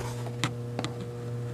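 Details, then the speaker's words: Door holder magnet energized on a tester power module, not yet on the fire alarm system: steady low electrical hum with a couple of faint ticks. Owner says the humming is okay because the magnet is fine. Normal magnet hum. "But I don't want to leave it on because it makes a weird humming sound. And I know that that's okay because the magnet's fine."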